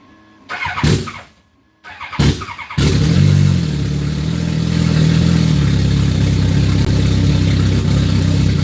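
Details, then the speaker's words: Ice-cold engine; starts and runs decently through post-start, then stumbles into a heavy, wavering idle when it drops into the warm-up table; warm-up enrichment issue, may die. "It's got some warm-up enrichment issues. I mean, it starts and runs decent, but it's ice cold right now."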